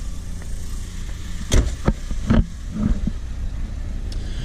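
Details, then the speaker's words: Volvo red block engine just after start-up, hood open: a low, even idle that hunts slightly, with faint injector ticking and no valve clatter or piston slap. The engine is running normally. "But if you listen to that, guys, I know the GoPro doesn't do it a lot of justice, but there's no valve noise and there's no piston slap. All you can hear is the injectors firing."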